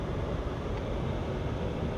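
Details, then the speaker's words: 1966 Ford Galaxie 500 convertible under restoration: heater blower fan just reinstalled and powered up; steady even low whoosh, no ticking, rubbing or wobble; runs nice and smooth, normal blower operation. "sounds pretty good with the tall one windshield there's zero light coming in but you can sure hear the heater fans"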